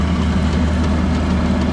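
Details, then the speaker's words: Very old utility-set HVAC exhaust fan motor with poor connections: steady low hum and droning tone, no speed change; weak run capacitor suspected, replace it or else the motor. "the way i would go about it is putting a new capacitor see if it started if it didn't then you know it's time to replace the motor it was getting voltage it just wasn't doing its thing"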